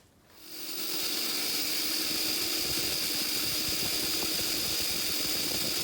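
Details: Treadmill DC motor on a worktable sawmill after installing a choke built from a modified transformer: it spins up within a second to a steady high whine with even brush hiss and almost no sparking. The motor runs smoothly.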